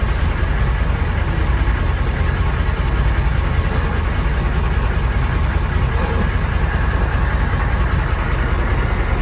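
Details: 1993 M998 HMMWV, 6.5L naturally aspirated diesel, cold start at idle: deep, fairly regular knock about once a second over the clatter; lost compression after ingesting water, owner assumes hydrolock bent a rod, unconfirmed.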